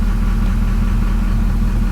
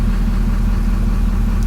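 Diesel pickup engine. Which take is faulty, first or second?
second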